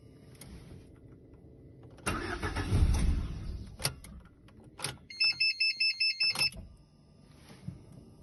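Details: Lada Granta with 127 16-valve engine, cold: a short burst of starter cranking dies away without catching, then a chime beeps; engine won't start cold.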